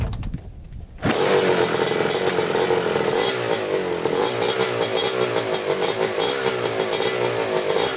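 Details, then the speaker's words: Rebuilt 1987 Kawasaki Tecate 4 250cc quad, second break-in run: crisp buzzy running, clean pickup on throttle blips, no stumbling; later rode to third-gear top speed and rips well; normal running. "Alright, it's running pretty good. Took it for a little third gear top speed, and it rips really good."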